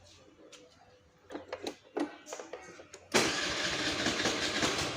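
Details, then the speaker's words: Honda Click 110i scooter, which wouldn't electric-start, reassembled after a starter/relay check: a few clicks and clunks, then catches at once and settles to a steady, even run; normal start. "นี้ก็จะประกอบกลับเข้าที่เดิมเดี๋ยวเรามาลองสตาร์ทดูหลังจากที่ประกอบเสร็จนะมาดู"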